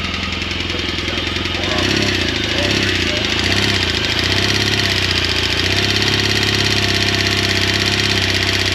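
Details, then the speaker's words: 2016 BMW R1200 GSA twin idling and revving: loud steady valve-train tapping following engine speed, from a grooved, worn cam lobe not fully opening the intake valve; cam and rocker arm failure per BMW service letter. "so basically that cam is not pushing the intake valve all the way in so the intake valve travels real short because of the groove in the cam and it just is tapping so loud"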